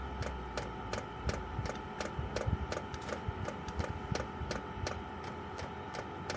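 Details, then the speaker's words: Chinese 12 V diesel heater running on kerosene, outside a caravan, priming via held panel buttons: light sharp ticks just under three per second over a quiet hum; owner thinks it's the fuel pump; normal priming. "There we go, so that's priming. You just hear that noise. The one chap said he had to hold it there for like 12 minutes. Tapping noise, I think, is the pump."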